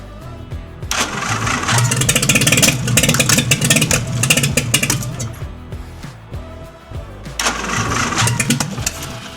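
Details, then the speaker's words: 1952 International L130 pickup, stock engine after years sitting, no exhaust, started on starter fluid: catches and roars at high revs, dies after a few seconds and refires; throttle stuck wide open. "Now I've got the gas pedal hooked up so that it's not wide open. And that's what was happening before. The throttle was just stuck open."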